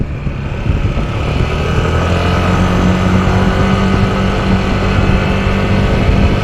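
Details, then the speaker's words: Yamaha NMAX scooter while riding: loud steady airplane-like drone that appears from about 20 km/h and fades by 40–50 km/h; caused by a worn primary drive gear. "Malakas yung tunog niya. Parang nagte-takeoff na eroplano o kaya malakas yung ugong."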